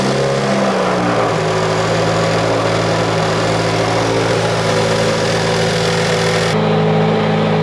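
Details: Subaru WRX after installing an FA20F high-pressure fuel pump for E85, restarted after an earlier aborted start: revs drop quickly into a steady, even idle with no misses or knocks; a check engine light appeared, blamed on a part left untightened.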